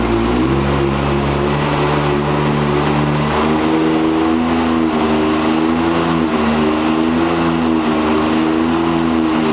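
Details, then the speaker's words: 2022 Can-Am X3 on dyno, big-injector tune on 93 octane with about 19 psi boost, stock clutch: engine note jumps fast at launch then holds a flat drone; CVT belt slipping at the beginning of the pull. "I mean, it's pretty good right now, but it's just slipping on the beginning. Just slipping in the beginning."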